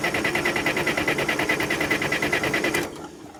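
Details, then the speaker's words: Case 580CK backhoe diesel cranked after winter storage with fuel just added, in neutral: even chugging about three beats a second for nearly three seconds, then dies without firing. Crank, no start. "Oh boy. Give it a little bit more fuel. All right, let's try this again."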